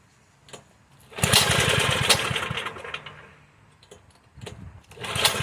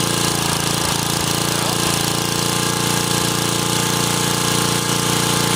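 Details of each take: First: 1984 Troy-Bilt Horse 2412 tiller, Tecumseh HH60 single, sat for years, carb jet only briefly cleaned: uneven lumpy running, surging and sagging; carburetor out of adjustment, improved after mixture adjustment. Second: 1984 Troy-Bilt Horse 2412 rear tine tiller, Ocumpsa HH60 single-cylinder engine, sat for years and ran rough, after carburetor adjustment: holds a steady, even speed with no surging or stumbling; now runs smoothly.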